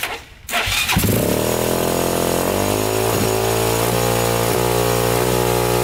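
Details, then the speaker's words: 2001 Honda 400EX quad, first start after new stator: fires up and holds a fast, steady idle well above normal that never drops back; idle high from throttle cable stuck partly open. "so well definitely runs um idle was stuck on a little high there but other than that sounded pretty good throttle even worked"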